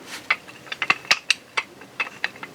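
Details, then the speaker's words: 2006 Polaris Sportsman 700 front drive shaft universal joint, removed and worked by hand: sharp irregular metallic clicks from excessive play, not super bad; the rear one was broken; this rattle is heard while riding. "shaky it ain't super bad but the back one was broke so but once you put the new one on there you won't even hear that that rattle that rattle that's all you hear when you're riding the bike right right around rattle"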